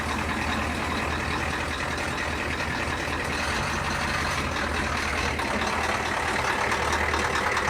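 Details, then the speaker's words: Ford F350 diesel idling cold: steady low clatter with a loose, uneven beat underneath, smelling of raw diesel; oil pressure had been low but came back up. Rough idle, owner suspects a bad injector, not confirmed. "raw diesel. Yeah, I think that's an injector."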